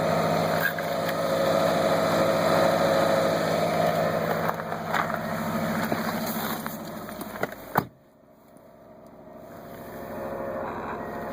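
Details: 2014 Subaru WRX at about 15k miles, cold start at 0-30°F: rough, gritty grind over idle with the clutch out that stops when the clutch is pressed; bearing suspected; replacing the throwout bearing fixes it only for about 1000 miles.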